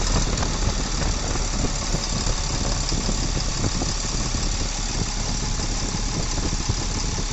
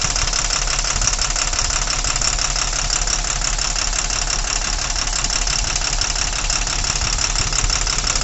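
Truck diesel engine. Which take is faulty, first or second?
second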